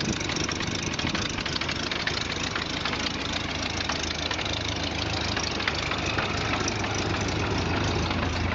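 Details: 1929 Ford Model A pickup flathead idling with hood open: slow, uneven idle with a sharp chuffing tick on each exhaust pulse from a small exhaust leak.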